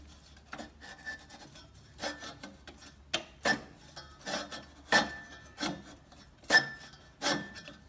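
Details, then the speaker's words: McLane/Sears reel mower during backlapping and reel-to-bedknife adjustment: rasping scrapes in uneven bursts every second or two as the reel turns, with the blades dragging hard on the bedknife. Reel rubbing the bedknife, adjusted too tight. "So now I have it a little too tight. So I'll show you on this side if I can."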